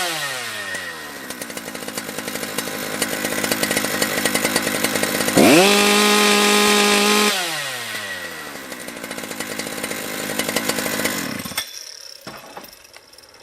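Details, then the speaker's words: Husqvarna 3120XP chainsaw modded with unlimited 272-style two-prong coil and new flywheel; screams to clean steady high pitch at full throttle through cut, about 12,300 rpm on tach; strong, healthy running. "do you think the RPM was it uh at Full Throttle there would that sound like to you"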